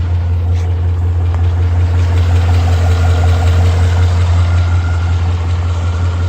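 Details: 2012 Ford Mustang 5.0 V8 idling steadily with a light, fairly regular tick, about 160 a minute, over the rumble; cause not determined.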